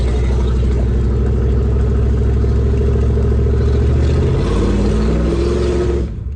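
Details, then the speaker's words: C4 Corvette V8, neglected car, loud straight-piped, pulling away on test drive: choppy, uneven beat stumbling as revs climb — misfire under acceleration, "breaking up real bad"; suspected to need injectors and likely spark, unconfirmed. "Ooh, breaking up too. Yeah, real bad. Uh, It's gonna need injectors and likely spark."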